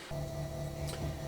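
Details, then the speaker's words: Kenmore Elite Oasis washer after replacing the worn drum bearings and shaft seal, on a test drain and spin: a low, even hum with only faint soft ticking as the drum spins up, far quieter than before. Normal spin. "up to speed looks like it's actually still getting faster but big difference in the noise"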